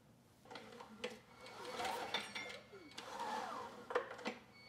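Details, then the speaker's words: Husky HU905000 5000-watt generator with Subaru EX engine, no power output, spark plugs removed, slowly pulled over by hand after reassembly: thin high squeal on each pull, no grinding or binding. "but there is this odd squeal and that could be a sign of an issue uh in this case i'm not sure"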